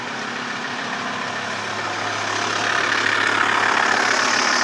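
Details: TDI diesel idling with a light, fairly regular tick about three or four per second on top; crankshaft pulley and tensioner already replaced, timing belt changed 20,000 km ago (owner doubts it's timing), tick persists, source not pinned down.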